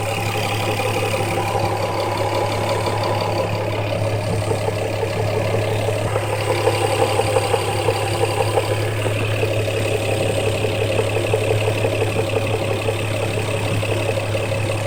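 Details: Toyota 1JZ-VVTi six-cylinder petrol engine at idle: steady smooth hum with a faint loose knocking underneath; engine knock, cause suspected, not confirmed.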